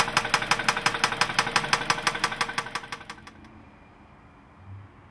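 Sharp, regular knock about three times a second riding over the idle until the engine shuts off; internal knock, cause not yet pinned down.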